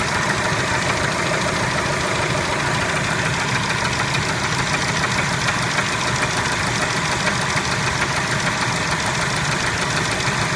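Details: Engine knock at idle on a Kia Spectra: fast, fairly even ticking knock about three per second over the engine note; cause suspected, not confirmed.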